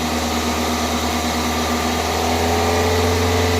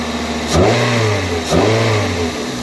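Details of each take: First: 2002 Toyota Corolla just fitted with new coil packs, spark plugs and a cold air intake: a slightly lumpy idle of about four pulses a second that smooths and grows quieter after a couple of revs while warming up. Rough idle. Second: 2002 Toyota Corolla after new coil packs, spark plugs and cold air intake, warming up: two quick throttle blips rise cleanly and drop back to steady idle with no misses or knocks; engine sounds healthy.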